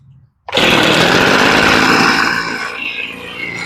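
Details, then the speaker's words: Echo leaf blower two-stroke just after a carburetor rebuild, started with lots of priming and choke; starts sharply, then holds a steady, even buzz with no misses or surging, sounding pretty good for an old blower. Normal running. "Sounds pretty good. I almost playing this tripod. Now you can hear it. Sounds pretty good for an old blower."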